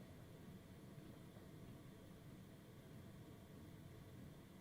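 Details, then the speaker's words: 12V 5kW eBay Chinese diesel air heater externally mounted on a van, running at low setting, heard from inside before final flooring and cabinetry: very faint steady rumble and soft hiss; fuel pump hardly audible, normal. "So I don't imagine I'm going to be able to hear the pump at all from inside, which is epic."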